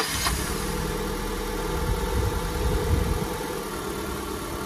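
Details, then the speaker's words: Honda Civic 1.7 (2001–2006 model), no check-engine light: idle hunts unevenly, engine jumping and vibrating with an irregular stumble as a cylinder misfires; fixed by ignition coil replacement and spark plug cleaning and gapping. "carro aqui tá tendo um problema que ele tá falhando cilindro"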